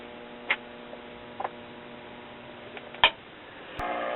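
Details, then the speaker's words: Philco 38-93 tube radio at 120 V line input: audio drops out to steady mains hum with scattered clicks, then crackles back; intermittent connection at rectifier tube or its socket, wiggling restored voltage. "okay we appear to have an intermedic connection either with the rec fire tube or the socket itself I wiggled it and the voltage came back"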